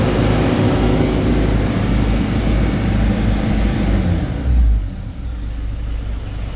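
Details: 2013 Ford Everest diesel revved to about 3,000 rpm, rising smoothly and dropping back to calm idle without shudder or knocking; engine running normally.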